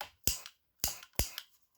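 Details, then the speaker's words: Nearly new chainsaw two-stroke that won't start, with fuel injected into the carb by syringe: three sharp isolated pops that never catch, fuel igniting in the cylinder but too little compression. "y a l'essence qui s'enflamme directement à la C du cylindre donc on peut dire que l'essence rentre dans le cylindre"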